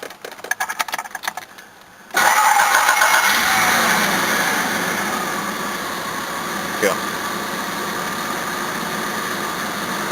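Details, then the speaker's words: Jaguar XJ6 Series 3 in for service, about 10,000 km since new radiator, hoses and thermostat: quick crank, catches cleanly, settles into even steady idle without misfires; normal start. "Apart from that, it starts and runs nice still."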